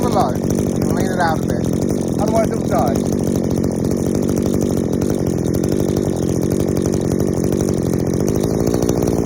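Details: Strimmer two-stroke powerhead warming up after carb adjustment, high-speed screw turned in from five to one and a half turns out: fast, steady buzz, deep and slightly muffled; still way too rich on the high speed.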